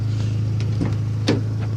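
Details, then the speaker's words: Turbo B20 engine after new cams and a tensioner pulley replacement, cold outside with no smoke from the exhaust; steady, smooth low idle with an even beat and no stumble or misfire, much smoother than with the old cams. "idles a lot smoother a whole hell of a lot smoother than what she was with those [ __ ] cams so I'm glad I got that fixed"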